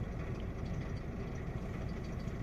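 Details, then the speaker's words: Opel Astra J 1.4 with check-engine light and a single coil pack: the scan tool shows misfire counts climbing on cylinder 1 and zero on cylinders 2–4, and the idle rumble stumbles irregularly, a cylinder 1 misfire. "Selectăm toate Missfire 49. Și acuma la cilindrul unu tre cum cresc aici. Cresc, cresc, cresc."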